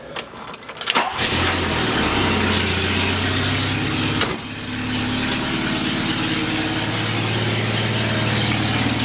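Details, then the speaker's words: 1979 Volkswagen Rabbit starts and idles with a loud, raspy puffing hiss; exhaust leak suspected at the gaskets between manifold and downpipe and downpipe to exhaust pipe, later replaced. "something's gonna start up real quick and then you guys can really hear how bad this exhaust leak is it's unusual"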